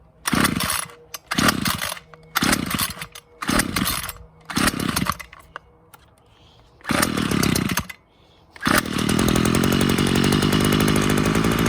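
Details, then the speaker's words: Ryobi CS26 trimmer that stalls and bogs at idle and throttle, exhaust burned out, primed and started at half choke, possibly flooded: fast but uneven choppy idle with wavering beat, better than before; cause unclear. "it is idle seems good though it's choppy though the idol is actually running better than in the past"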